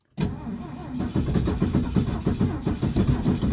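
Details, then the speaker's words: Classic carbureted Ford at -30 degrees: slow, labored cranking at about three beats a second with weak half-catches that never take hold, starter rested and throttle pumped to clear the carb, cold crank no-start. "Ooh, she almost started. Okay, let the starter calm down for a second. It sounds like she is gonna start, but she's not happy about it."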